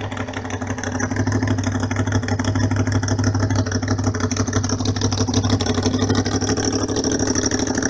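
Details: Honda VFR 750 RC24, late-1980s, cold after sitting overnight, on manual choke: fast even idle held high, steady low drone, no misses or knocks; runs very correctly.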